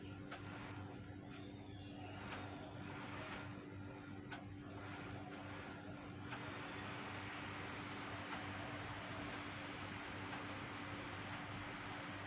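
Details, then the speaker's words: MSI laptop fan, removed and cleaned, tested on a bench power supply: quiet, steady hum with no rattle, ticking or grinding; the fan runs normally and is usable. "Yeah, fan is spinning very nice. Yeah, no noisy. So if it's no noisy, yeah, we can use."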